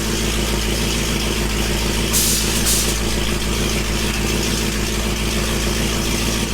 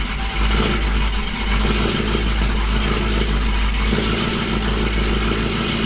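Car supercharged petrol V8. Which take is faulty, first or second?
second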